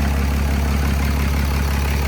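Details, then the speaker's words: Freshly swapped 6.7 Cummins diesel in 2nd-gen Mega Cab, first run, idling in shop, not yet fully warmed: deep, steady even clatter with no misses, knocks or odd noises; healthy. "I just wanted to get this initial setup. But that's what she's going to sound like."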